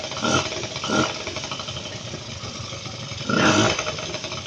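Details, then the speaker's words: Suzuki Street Magic two-stroke carburettor bike, previously wouldn't start. After reassembly with the fuel tap on reserve and the idle stop screw raised, it now starts, idles and revs; crisp buzz rises cleanly with each throttle blip and returns to steady idle. "ตอนนี้เครื่องยนต์ติดได้เดินเบาได้เร่งได้"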